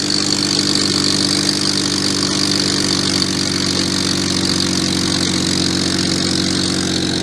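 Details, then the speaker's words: BMW 135i idling with tailpipe plugged: loud constant hiss of exhaust escaping at the gap where mid pipe meets axle-back — exhaust leak at pipe joint. "Where the mid pipe meets the axle back, there's a gap, and you can feel the heat escaping right there, and that's definitely the source of the leak."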